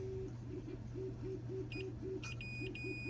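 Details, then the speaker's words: Continuity check on a Millipede arcade board with a graphics fault (dark screen, only blue blocks). Short steady beeps on probe contact confirm pin 1 and pin 15 of the chip are tied together. "Okay, and let's see, then pin 1 and pin 15 are actually tied together on this chip here, so that means those are, good continuity there."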